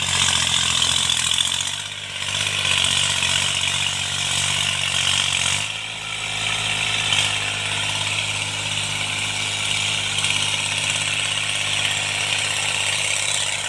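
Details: Tractor diesel cultivating after an engine-knocking repair: steady low drone under a hiss of field noise with no knock riding on it, pulling cleanly and running normally under load.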